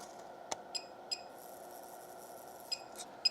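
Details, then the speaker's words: Repaired power supply under about 10 A load with fan off, mic placed close: quiet irregular sharp ticks with thin high-pitched ring over hiss, sounding like arcing, worse with TEA2016 controller; suspected to come from the PFC coil, a known good part. "I'm hearing an arcing noise. It sounds like arcing."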